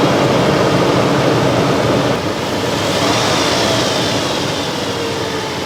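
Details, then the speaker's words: Toyota 4Runner engine that had hydrolocked from cylinder wash-down, run afterward with no cylinder wall damage and no bent rod. Engine revs and settles smooth and even with no knock or tapping: normal running. "we don't have a bent Rod it runs perfectly fine"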